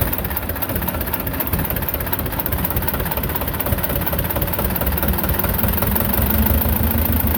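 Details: Belarus 250 tractor, two-cylinder air-cooled diesel that sat for years with a no-fuel problem, reassembled with the throttle left set: low clatter wandering and swelling unevenly instead of holding revs. Owner suspects lift pump trouble; surging from fuel starvation, lift pump clogged with debris.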